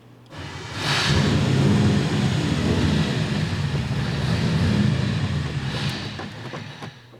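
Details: 383 small block Chevy V8 with carburettor, float level checked, idle air screws and bleeds being adjusted without improvement: lumpy, uneven loping idle that won't settle; rough idle suspected from carb idle circuit fault.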